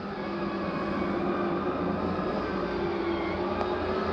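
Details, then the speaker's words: 2023 Flagstaff Classic 832BWS, slide number four, the heavy kitchen slide carrying fridge, stove and microwave, retracting: steady even motor hum holding pitch, no strain, grinding or clicking; normal. "lastly slide number four that be our big kitchen slide it's a heavy slide there with the fridge the stove microwave all on it"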